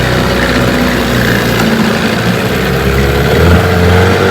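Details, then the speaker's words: 1992 Evinrude 15 HP outboard (E15RNM) on the bayou after shift linkage adjustment for slipping out of gear, run about 15 minutes shifting back and forth; steady two-stroke drone at constant pitch, no clunks or slipping in forward gear: normal running. "I've been running there for about 15 minutes, shifting it back and forth, and it seems to be working."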